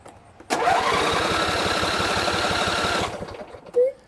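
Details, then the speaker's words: John Deere L120 lawn tractor, Briggs V-twin, sat almost a year: cranks about 2.5 s with even compression pulses but never fires. It has spark, a good fuel filter and a working pump, and runs only on quick-start spray; the fuel shutoff solenoid is stuck. "the Machine will crank over but it will not start I'm going to turn it over here so you see what I'm saying"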